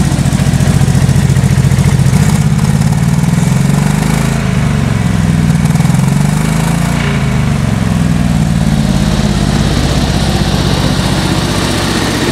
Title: ek first start of engine (bad exhaust leak)